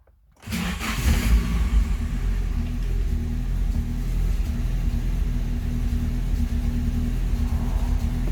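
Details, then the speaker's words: Nissan 240SX S13 with SR20DET, oil-primed then cold started and warming up: lumpy, slightly uneven low idle that hunts; timing well down, idle air off target, injector time said to be too high, gauge reads very rich; rough rich idle, cause undiagnosed. "Ew. Ew. Okay, so we're warming up. The timing is not looking pretty. Idle air should be closer to 50%."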